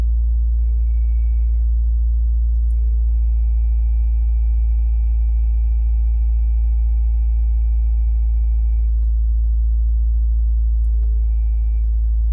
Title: 2017 WRX squealing noise when clutch is depressed